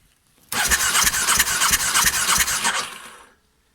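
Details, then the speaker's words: Large project motorcycle that sucked bad fuel through its hoses, plug out and grounded on the engine: cranks at about three even beats a second with no firing; spark present, so owner suspects no fuel, possibly a blocked fuel pump or filter. "we have a spark so that would tell me that we're not getting any fuel"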